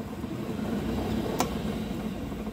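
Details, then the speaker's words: Club Car golf cart, wheels spinning freely off ground, last solenoid terminal touched for full speed: steady even drive motor hum, no grinding or knocking; solenoid contacts good, normal drive motor at full speed. "then we'll touch the last one this will be full blast"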